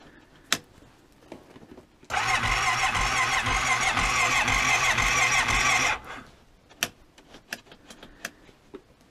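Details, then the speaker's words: Cold start attempt in freezing weather (14°F) on a carbureted Honda Rincon quad with a carburetor fitted a couple of years ago: the starter turns it over steadily for about four seconds, about three turns a second, but it never catches. Cold no-start. "well this is more like a real cold start right fight with the carburetor and the fuel for an hour and then it runs like crap"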